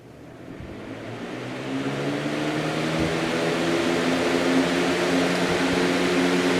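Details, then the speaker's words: New Lasko CoolColors box fan switched on at high speed spins up over a couple of seconds into a steady airy rush with even hum, no rattle or wobble; moves a good amount of air; normal running. "it does move a pretty good amount of air it actually seems to move more air than that one but I assume it's the same motor"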